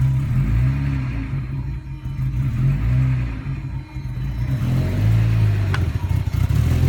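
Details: 1999 Audi A4 Quattro petrol engine revving unevenly, stumbling and sagging as the throttle opens; it runs but hesitates hard; has a rough idle.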